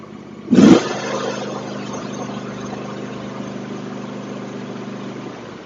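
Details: John Deere X324 all-wheel-steer mower after carburettor repair for a cracked float that caused rich running, with the blade engaged: one loud burst, then a smooth, steady drone with no knocks or misses; leftover unburned gas smokes from the muffler. Normal running.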